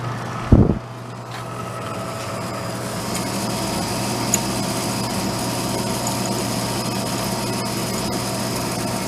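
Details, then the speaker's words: Vintage Harmon fireplace-insert pellet stove, long stored, first test run: after a brief handling knock, steady even low hum with faint whirr; blower fan on the end spinning normally while ash is still being pushed out. "Fan spinning on the end."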